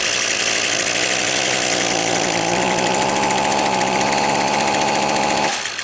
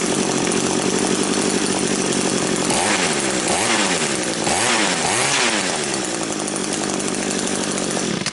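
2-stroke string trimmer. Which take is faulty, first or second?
first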